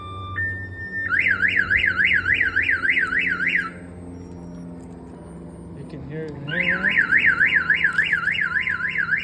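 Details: 1992 GMC Sierra 1500 Z71 with a newly installed Viper 5706V alarm, triggered e.g. by a door opening: a loud warbling siren rising and falling about three times a second, pausing then resuming, sounding as designed with flashing lights.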